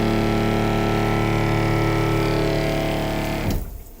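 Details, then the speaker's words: Tiny-house rainwater PEX (RV-style) plumbing: valve opened and pump fills the new lines; loud steady droning hum with a fast buzzy pulse, then it cuts off and fades, normal pump running; a leak is found afterwards. "Ooh, fancy shit, you know. That is loud as fuck. Is that what running water is gonna be like?"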